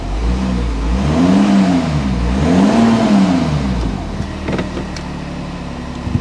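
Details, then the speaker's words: VW Touareg automatic in gear: engine revs climb high, to about 3,000 rpm, and drop again without the car pulling away; gearbox slipping, suspected low transmission oil; it later misfired and went into limp mode. "Very lazy to move unless it's just low on oil in the gearbox. Have to rev it a lot to get it to move."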